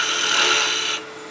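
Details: Woodturning a spinning top on the lathe, workpiece far out from the chuck: harsh raspy scraping for about a second, chatter from a cut too aggressive for the support at that overhang and diameter.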